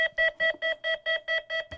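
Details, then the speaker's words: FMS 1400mm P-51 Mustang ESC on power-up with throttle stick not at bottom: rapid even beeps about four a second repeating nonstop, warning the throttle stick is in the wrong position; lowering it or adjusting sub-trim/travel clears it. "if you turn on your radio and your throttle stick is a little bit farther up or in the middle or something when you plug it in you will have this tone okay you're gonna hear a really rapid tone"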